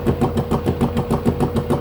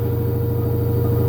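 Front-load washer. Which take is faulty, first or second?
first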